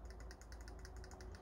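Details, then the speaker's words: Arrma Outcast 6S RC car, motor opened and cleaned, pinion reset against the center spur gear after it seemed to have shifted: light, even clicking about eight per second over a faint hum; normal pinion-spur gear mesh. "donc vous entendez ça doit faire comme ça le cliquetis entre la couronne et le pignon moteur"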